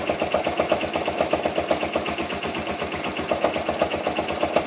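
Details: BM Classic 200 motorcycle idling: steady rhythmic metallic knock about four a second from the clutch side, changing as clutch lever is pulled and released; clutch assembly knock attributed to poor-quality oil.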